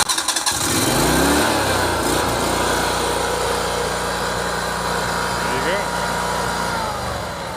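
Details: Yamaha EF12000DE / Robin RGV12000 generator, cold start on fresh fuel in both tanks after electrical repair: quick crank, catches within half a second and settles into a steady, even run with no misses or knocks; normal cold start.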